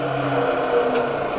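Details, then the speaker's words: Grizzly 20-inch spiral cutterhead thickness planer after shortening link belts and tightening motor mount: steady motor drone with constant high whine, no squeal or chirp, no belt slippage; normal running. "we've now properly we've shortened the belts and then tighten the motor mount and now let's listen to it and see if there's any belt slippage none that was great perfect"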